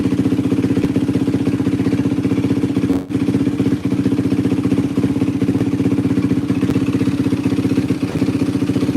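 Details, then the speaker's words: 2004 Yamaha WR450F single just started with a little choke after carburettor rebuild kit: steady, even thumping idle, no misses, hunting or rattle; runs solid, float adjustment possibly slightly off. Normal idle. "This thing's freaking running tits McGee right now. Yeah, this thing runs tits. Holy cow."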